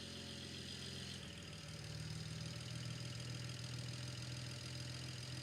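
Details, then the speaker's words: BMW (N54/N55-type) cold idle right after start, cylinder 1 misfire persisting after new, gapped spark plugs; earlier coil swap only temporarily fixed it, injectors suspected next: uneven, lumpy exhaust beat stumbling every few pulses. "The new spark plugs are installed and everything's back together. Unfortunately, the cylinder one misfire is still present."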